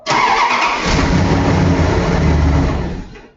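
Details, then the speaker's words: Headlight test with headlights on while cranking: brisk, even cranking at a good steady speed before it stops. The cranking speed is just fine and the starter turns the engine over normally. "you heard the cranking speed and the cranking speed was just fine"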